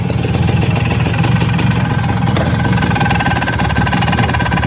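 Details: Suzuki RC100 two-stroke with a reportedly recently replaced piston, idle and throttle: busy, rattly idle with a dense low thrum and fast chatter on top; abnormal engine noise of unclear source.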